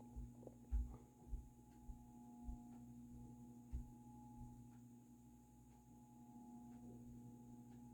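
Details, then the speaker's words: Dayton 60" industrial ceiling fan 4C721, cast-iron motor, slow low speed on a solid-state control; quiet steady hum with slight cyclic buzz, which is normal; motor not very noisy. "that's a nice slow low the motor is actually not that noisy um like in terms of hum with the solid state control"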